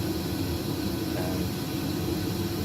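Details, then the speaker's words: Webasto Thermo Top Evo diesel heater installed on a narrowboat, fuel line in ISO 7840 hose to damp pump noise, boards down: only a low even hum with soft hiss, no pump ticking; normal quiet running. "It's silent, and with the boards down, it is really quiet."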